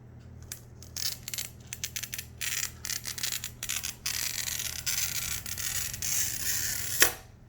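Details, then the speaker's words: Glass cutter pushed forward under pressure to score stained glass along a line: scratchy taps give way to a continuous, even fizzing hiss, the sound of a proper glass score. "you hear that noise that's the scoreline being made and that's what you want to hear"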